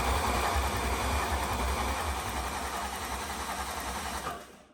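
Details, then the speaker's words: 1969 Chevy C30 tow truck with a 6.0 LS and Hellcat supercharger, first start attempt after the build: the starter cranks evenly at about 3.5 beats a second for four seconds but it never catches. Owner thinks the fuel system is just priming, unconfirmed. "Man, that really probably should have started. It's just priming itself. The fuel."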